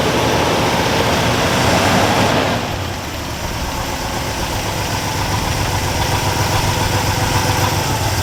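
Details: All-original 1962 Chevrolet C20 3/4-ton pickup, sat over 60 years, started after fuel pump replacement using choke: settles from higher speed into steady even idle, no knocking, misfire or roughness; healthy.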